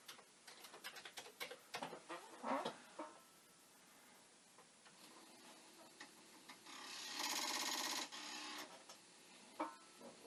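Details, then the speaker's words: Commodore 1541 disk drive (test drive's mechanism on the faulty drive's board and power supply): quiet fast uneven ticking and rattle about three per second as reads retry; head banging against its stop. "but maybe with the head banging and other such things i would just like to move it something to the right position but i don't believe that"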